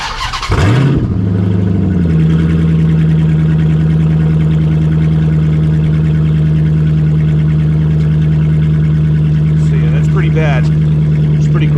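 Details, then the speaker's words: 2006 Dodge Magnum with the centre suitcase muffler cut out, running on factory manifolds and cats only, starts and settles into a loud, deep, booming unmuffled idle before pass-through Magnaflow mufflers are fitted. "just give you guys an idea of what this thing sounds like with no exhaust"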